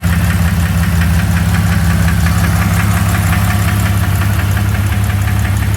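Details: 2001 Jeep Cherokee 4.0 at idle, flexplate new: rough, uneven knock about twice a second over the rumble; origin unknown.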